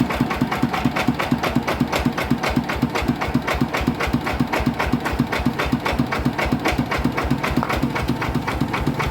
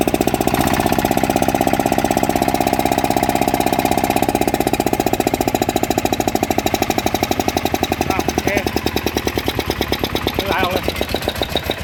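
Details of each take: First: Yanmar 160 single-cylinder diesel: hard, regular knock about four a second; bearing found dead and spinning in its loose housing, to be built up or bearing replaced. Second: Yanmar 160 small single-cylinder diesel after rebuild for a rhythmic knocking, new bearings fitted: starts easily, steady tight beat with quiet bearings and no bottom-end knock; normal running.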